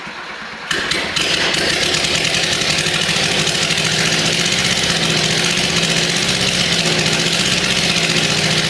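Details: Freshly rebuilt Suzuki SJ410 F10A engine, first start on a temporary frame with provisional wiring harness; starts then settles into a buzzy, slightly uneven idle with faint irregular patter, a small problem still present.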